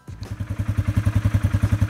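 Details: 2019 Polaris Sportsman 500 HO ATV idling after trail snorkel intake installation: even single-cylinder thumping at roughly nine or ten beats a second, steady and unbroken; engine idles normally.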